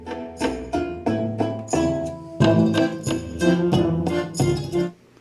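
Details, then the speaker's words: TEA2025B stereo amplifier IC on a socket board at about 45 dB gain, driving a speaker: the music turns rough and gritty on louder notes with no oscillation. Output distortion, possibly from instability or a wiring error. "well it's not oscillating but it sounds distorted"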